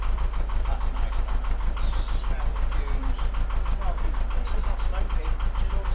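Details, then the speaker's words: Porsche 914, 2056cc on dual Weber carbs: after both idle screws turned in a quarter turn, mixture having seemed lean, a deep, steady idle at about three pulses a second with no misses or hunting; over-tightened accelerator pedal likely the earlier cause. "Sounds a lot better. Now what I've done to get it started is not adjusted the bass tune as it would be touching the carburetors."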